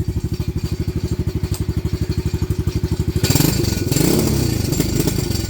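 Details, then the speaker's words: Venom Madix 125 quad (PZ20 carb), choke makes no difference: slow single-cylinder idle thump, throttle blip stumbles and wavers, running poorly; owner suspects air-fuel screw or valve adjustment, unconfirmed. "See? It's doing something it shouldn't be. So, huh. We gotta maybe adjust the air fuel screw."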